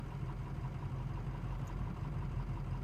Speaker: right now the idle is pretty bad not horrible but it's fluctuating some